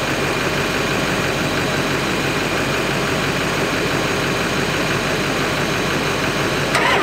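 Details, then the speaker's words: Totaled Ford 7.3 Powerstroke diesel running again, sounding rich: a raspy, puffing chatter over the clatter at idle. The exhaust broke off and sits half off at the turbo from crash damage. Exhaust leak at turbo. "Now, it does sound a little bit funky, that's because the exhaust broke off. And it sounds kind of funky, and also, the exhaust kind of is halfway on and off right at the turbo"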